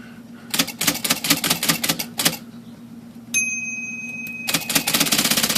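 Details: IBM Selectric typewriter after adjusting the out-of-place latch trigger plate that caused return, index and backspace to trip by themselves: rapid clacking keystrokes, bell ding and smooth carriage return; cycles cleanly without self-triggering.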